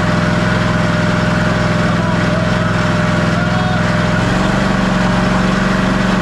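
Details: Ariens Ikon XD 52-inch zero-turn mower, Kawasaki FR691V V-twin, run about 10 seconds after refilling oil to the full mark during annual service; steady putter and constant hum stepping up slightly partway, smooth and even, no misses; normal idle.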